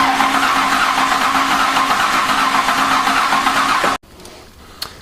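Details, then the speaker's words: Mazda/Ford Ranger after an engine swap, first crank with no fan or inner fender wells fitted, turning to prime the oil pump: steady, even starter cranking about four turns a second with no catch; engine turns over freely, normal. "we're just going to see if she'll she'll turn over she definitely turns yep do a couple more times to get the oil pump through"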